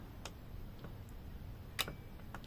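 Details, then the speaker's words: Lidl 64.99€ jump starter/compressor connected to a car whose battery positive terminal was disconnected to simulate a total failure: sharp, uneven ticks, about six in under three seconds, as the booster's relay clicks normally. "Voilà. Et là, on entend le relais qui fonctionne."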